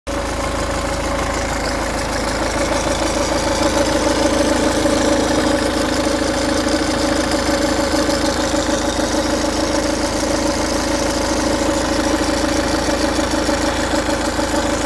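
Diesel idling with a light, fast metallic rattle riding over the clatter, typical of a slack timing chain. Cause suspected, not confirmed.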